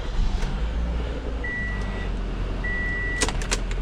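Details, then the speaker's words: 2017 Toyota Camry engine keeps running with key off and out: steady, low, even idle that won't shut down and still revs, while power steering and electrics are off; ignition switch to be checked. "Keys off and out. The engine's running, but you see there's no power steering. There's no like electric is really off, but the actual engine's still running. I can rev it and it's on."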